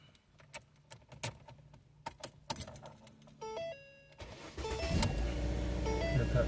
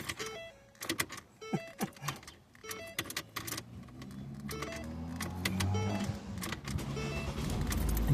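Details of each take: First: 2008-12 Ford Escape/Focus/Tribute/Mariner after replacing the ignition switch housing to fix a no-crank, no-start: keys rattle and chimes sound, then the engine catches at once and settles into a steady, even idle; clean start, fixed. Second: 2008-12 Ford Escape/Focus/Tribute/Mariner family: repeated key clicks and chimes with no cranking before the engine finally catches. The owner attributes the no-crank to a failing ignition lock housing rather than a low battery.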